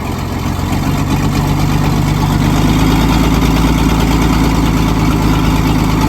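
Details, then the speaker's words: Loading shovel diesel abandoned 18 years, first start on ether at raised revs: rough, uneven idle with lumpy beat, one cylinder dropping out; sticking valve causing misfire. "that valve is still sticky but we can look at that"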